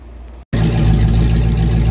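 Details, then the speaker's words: 1994 Ford Mustang GT convertible V8 idling with an open H-pipe: a loud, deep, lumpy burble with an occasional uneven beat, a slight engine miss made more noticeable by the open exhaust. "Not too bad. Needs more cam chop or, you know, any cam chop at all. That ever so slight engine miss is even more prevalent with the open exhaust."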